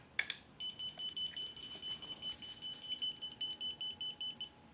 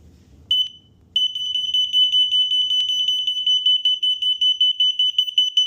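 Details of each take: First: Unicycle anti-theft alarm on sensitivity setting one, pick-up-and-roll-off theft simulated: shrill high beeps pulsing about two to three times a second after the movement trigger; the alarm responds as intended. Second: A third-party alarm's shrill beeping, about 2.5 per second, sets off the tested vibration alarm with no vibration present: a false alarm triggered by sound frequencies alone.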